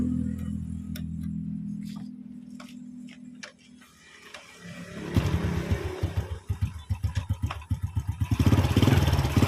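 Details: Honda Supra X single-cylinder after replacing worn connecting rod and crank bearings (cause of rough engine noise), piston lightly scored but kept: clean idle then smooth throttle blips, no knocking, no smoke; normal running.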